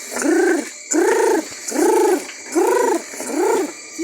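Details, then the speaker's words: Consul Facilite top-load washing machine: rising-and-falling squeals with every agitator stroke while washing, caused by destroyed transmission gears. "engrenagem funcionar Campo destruída nessa hora que a máquina tá chiando"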